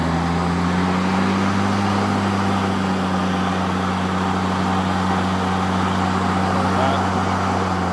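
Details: EGO electric mower that would not start with the handle in normal position starts when folded vertical: steady, even electric motor hum with constant low pitch, no stutter or grinding.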